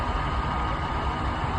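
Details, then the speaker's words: 1997 Jaguar XJ6 4.0 petrol straight-six after no-crank fix (new battery, 10A fuse no. 8 replaced): short, even low rumble with steady beat, no misses, knocks or ticks; normal idle. "And it starts, and there is no like fuel relay problems or fuse. All that was fine, and that fuse was nothing to do with the actual like fuel and anything else. But it starts now, and that is good old Jaguar."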